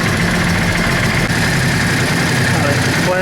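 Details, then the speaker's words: Yamaha Drag Star 650 V-twin after replacing intake boots, adjusting TPS and vacuum-gauge carburetor synchronization: even low idle with a steady beat, no misses or hunting; accelerates much better; normal idle. "we already have the carburetors synchronized and it even accelerates much better"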